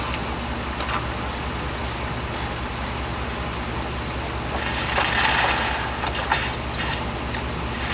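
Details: 2007 Dodge Ram 5.7 HEMI V8 idling while warming up after a water pump replacement; 140°F at the thermostat, coolant still purging air. Steady, even idle with no knocks or squeals and some handling noise in the engine bay. Normal idle.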